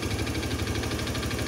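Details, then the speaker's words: Honda Scoopy PGM-FI scooter: rough uneven idle with a fast dull clatter, plus thick white exhaust smoke. Mechanic suspects the piston or the valve seals; the piston was later replaced. Piston slap (worn piston). "dengaran suaranya kemelotok ya. Suaranya kasar, terus keluar asap putih tebal. Itu kemungkinan piston ya, atau enggak seal klepnya."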